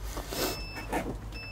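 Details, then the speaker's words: Arbos 3055 tractor: long high-pitched warning beeps as the key is turned with the gear engaged; the start interlock prevents starting until the gear is put in neutral. "Co cosa lo farà succede se accendo adesso, il trattore ci informa cigolando che qualcosa non va e non avvieremo il trattore"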